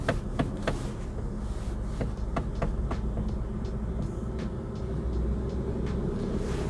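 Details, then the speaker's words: Used manual car inspected at auction: sharp scattered clicks over a low road rumble while turning the steering wheel. The steering clicks; the inspector suspects the rack is not secured properly or is an electronic rack, unconfirmed. "I just noticed just turning the steering wheel sounds like something's not happy in this steering wheel"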